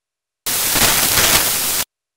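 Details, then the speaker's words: Premiere Pro 2015.0.2 playback: about 1.5 seconds of harsh loud static screech starting and stopping abruptly, a random software audio bug of unknown cause; fixed by relaunching. "Warning, it's about to get extremely loud."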